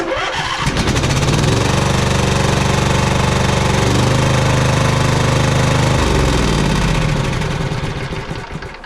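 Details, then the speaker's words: Poulan Pro 700EX twin-cylinder riding mower with the other spark plug removed, running on one cylinder. Steady, even thumping at about four firings a second without stumbling; that cylinder is firing normally. "Well, the mower is running on just that one cylinder now."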